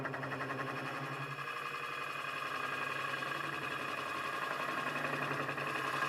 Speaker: so when you hear that vibration just slow the tool down slow your Traverse down